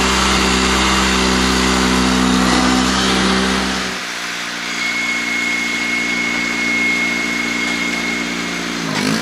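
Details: Honda 3813 liquid-cooled lawn tractor, clutch on the transaxle with its damper removed so it engages immediately: an even putter dips briefly as load comes on, then settles back to a steady beat. Normal running.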